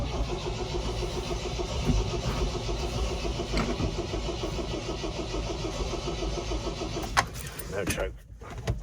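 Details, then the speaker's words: MGB GT garage find, 20 years unused, first start with full choke: uneven, lumpy idle that wanders, sounding very rich, though smoothing slightly with good oil pressure. Rich, lumpy running. "Sounds really lumpy. That red pan's doing now. Does sound really rich though."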